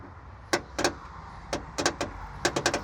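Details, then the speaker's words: Truck sitting for years, starter solenoid jumped: several sharp metallic clunks in quick pairs with no cranking; starter clunk with no crank, starter or solenoid suspected bad; it ran once the posts were jumped. "So you can see that we're getting a clunk here. So could be that the starter's bad or the solenoid's bad."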